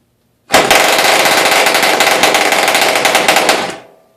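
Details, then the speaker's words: 1938 Clarke Troller outboard, mounted on a wood splitter and run out of water, no load: sharp, rapid popping exhaust for about three seconds, then dies away; small outboard running healthy. "I don't know I've never had it in the water so but it does run"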